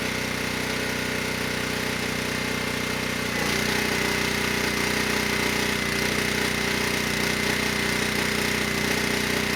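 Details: ETQ 2700-watt generator with brushless powerhead, found not running after years in storage: steady drone dips slightly as load comes on, then holds firm at 100 watts over rated load, near 61 Hz and 118 volts; normal running under full load.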